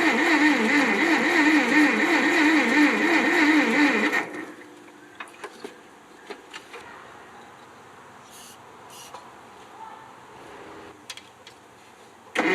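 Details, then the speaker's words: 1957 Ferguson TO35 tractor, non-running, reportedly last ran 10 years ago, oil put in cylinders, carb cleaner sprayed into carburetor: steady starter churn about four compressions a second for four seconds, no catch or sputter; cranks but won't start. "put the spark plugs back in hooked everything back up um sprayed some carb clean in that carburetor turned it over a few times and nothing happened"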